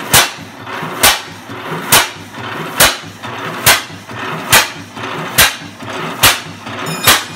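Slow, even exhaust bangs about seventy a minute with a clean ring between them; the old engine is running steadily and healthily.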